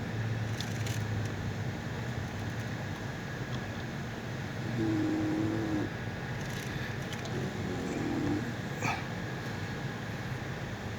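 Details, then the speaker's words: Honda cabin, near the center console by the pedals: two faint low moo-like moans as the A/C changes temperature; stiff air-mix blend door mechanism, fixed by greasing it, already partly lubricated so quieter. "เสียงมาจากลิ้นผสมอากาศนะครับของระบบแอร์"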